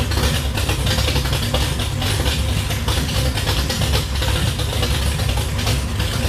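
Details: 1966 Plymouth Belvedere I restomod, 440RB V8 with aluminum heads, 295 degree cam, dual-plane intake, tube headers; first start after the build: deep, choppy, uneven loping idle around 1500 rpm settling toward 800, like a washing machine with a bad belt; normal lumpy cam idle.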